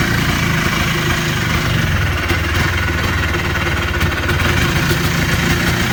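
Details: Polaris Trail Boss 250 two-stroke ATV (titled 2000, owner guesses 1988 or 1992), running outdoors in cold weather after carburetor work. Steady, even, low-pitched running with no misses, knocks or surging. Healthy.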